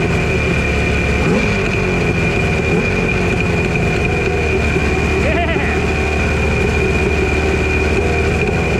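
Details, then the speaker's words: Chrysler 100 hp two-stroke outboard on a 1982 Glasstream bass boat, sat about six years: loud, even drone with a faint steady whine, no misses or knocks; runs healthy, water flow initially not seen, then hot water appears. "Not seeing any water flow out of it, but it sounds good."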